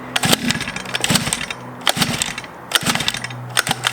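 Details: Cheap Chinese 50cc pocket bike with pull start, spark confirmed and choke found: repeated cord pulls each give only a brief sputter that dies at once, so it catches but won't keep running. Cause unconfirmed.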